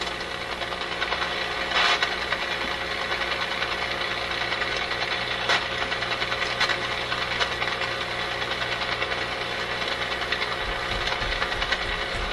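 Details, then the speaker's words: RCA Victor A24 vacuum tube radio during shortwave alignment: a steady hiss broken by sharp crackles at about 2, 5.5 and 6.5 seconds. This intermittent fault seems not to be physical. The owner suspects a switch contact, a tube or a capacitor; unconfirmed. "Doesn't seem to be anything physical, but it's going to mean it's a contact in a switch, the tube itself, some tube, perhaps a capacitor, of which there are many potentially bad capacitors."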